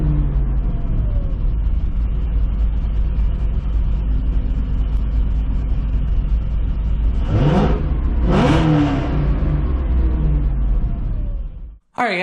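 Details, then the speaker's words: 2005 Chevy Corvette, first start after a C7 starter and Kooks 2" ceramic-coated headers install: deep V8 rumble with two revs and a faint rattle, suspected exhaust rubbing at the rear; not the bottom end. "there might be some rubbing of the exhaust might have to adjust that in the back I did kind of hear some rattling wanted to make sure it wasn't the bottom end or anything up here"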